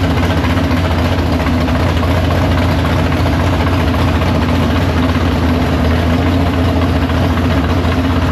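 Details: Big-block Chevy V8 in the Farm Fresh gasser, timed, carb due for a swap for more fuel: deep loud lumpy idle, steady throb about four beats a second, no knock or misfire. No leaks; normal idle.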